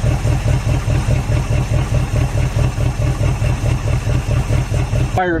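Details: Derelict Dodge D150 pickup V8 freshly started after long storage, with fuel poured in and the fuel line disconnected because yellow scuzzy fuel is coming out. Loping idle at about two pulses a second, uneven and stumbling: rough idle.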